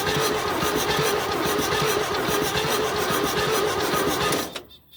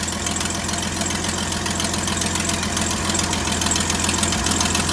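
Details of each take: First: 1972 GMC tow truck sat 22 years, crank attempt with gas in intake: lazy cranking about four compression beats a second, never catching; cable runs hot, slow crank blamed on an undersized starter cable. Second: 1972 GMC tow truck, first start after sitting 22 years since 2003, idling steadily with an even, fast patter over a low hum; no blow-by, possibly a slight exhaust leak, and it sounds healthy.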